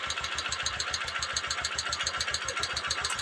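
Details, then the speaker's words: Honda TMX Supremo motorcycle that would not start from the starter switch, started by bypassing the starter relay: crisp, even putt-putt at about seven beats a second holding steady; healthy idle, faulty starter relay. "Magwi-start. Nag-start mga boss. Sira yung starter relay."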